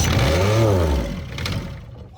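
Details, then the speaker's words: Yanmar D27 27 hp diesel outboard on a 16 ft aluminum jon boat, started cold: deep tractor-like clatter surges up as it catches, then settles and fades; fires and runs on its first attempt. "holy crap it actually fired it just sounds like a tractor it rolls cold that is insane"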